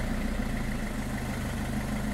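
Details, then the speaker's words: Car idling after sealing a loud exhaust leak at the muffler junction holes with high-temperature metallic putty; steady even idle with a smooth low rumble and no puffing or ticking, leak no longer heard. "when you start the engine to check if the leaves are sealed it seems that we don't hear leaks anymore"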